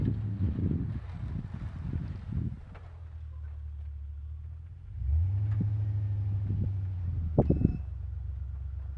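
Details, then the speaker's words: 2002 Silverado 2500HD test drive after new front driveshaft U-joints: steady low road rumble under hard acceleration, no clunk or whine; earlier noise gone, worn U-joints believed to be the cause rather than CV axle. "So it seems to be working good. I don't hear the noise. I'm pushing it pretty hard and I haven't heard the noise."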